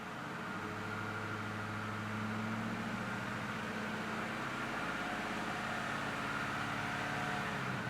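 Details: 1996 Ford Mustang Cobra convertible V8, 5-speed manual, dual exhaust: steady even idle with a smooth low rumble and no ticks, knocks or misses; engine sounds healthy.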